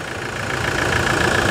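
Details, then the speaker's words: Toyota Hilux Challenger diesel idling after decarbonization, with a new fuel filter, new pressurized filter and replaced EGR. The idle is low, steady and round, with an even beat and no knocks or misses; it is idling smoothly. "Vamos escutar só a lenta dela agora aqui. Olha que beleza de barulho. Redondinho, né? Redondinho."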